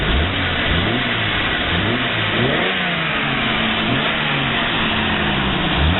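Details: 1988 Jeep Cherokee with a replacement engine, exhaust leaks noted: clean rise and fall through several throttle blips, smooth steady idle between, no knocks or misses; runs healthy.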